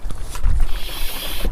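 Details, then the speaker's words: Mercedes A150 Classic oil service, manual pump extractor draining oil, car jacked unevenly: low irregular gurgling and bubbling instead of steady flow, tube running clear; extractor drawing air, sump empty. "the air bubbles coming out right now. That means the engine is emptying, and there's still some residual one coming through maybe, but yeah, looks clear."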